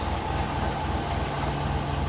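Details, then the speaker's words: 1972 Rover P6 V8, cold winter start on choke, fuel stabilizer in tank, choke needs adjustment and runs a bit rich, slight rear box leak: steady even low burble with slightly fast idle, no misses or knocks. "so right now I need to have it out like this because it won't really idle otherwise but it's a little bit too rich but once this run for a little bit we can turn in the idle and that should be good"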